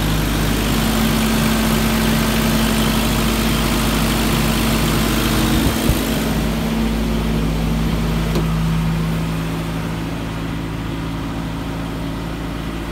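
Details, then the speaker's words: 1990 Toyota pickup, 29 years old, idling steadily and smoothly with no stumbles or misses after a clogged idle air control valve was replaced with a junkyard one, curing hesitation and backfire. "I replace that one from the junkyard it has been running a lot better"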